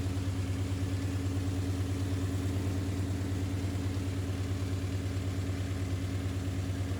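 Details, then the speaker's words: Brand new Ford 5.0 crate V8 in an S550 Mustang drift build, just after first start: smooth even idle about three pulses a second, no ticking or clacking; healthy normal idle. "Sounds good. Don't sound terrible. I don't hear any clack, clack, clack, clack, clack, clack."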